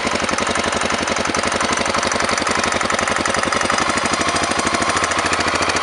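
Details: Honda NX650 single with engine knock and smoke: fast, hard, metallic rattling knock over the idle throughout; real internal knock, cause not yet pinned down.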